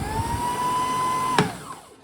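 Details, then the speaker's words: Bernina Matic 810 sewing machine after replacing bobbin winder hub to fix noise and slipping: steady motor whine climbs slightly and holds, then a click as the winder trips and spins down; no screech, no slipping; normal bobbin winding. "there's no there's no indication of slipping here I think this is working perfectly now"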